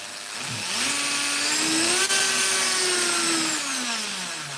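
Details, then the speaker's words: Dremel rotary tool reassembled after disassembly to free a stuck multichuck: smooth high whine climbing evenly with speed, no rattle or knock; runs healthy. "Now I'll just turn it on. There we go, it's going. And it sounds good, you know, it's not rattling or anything."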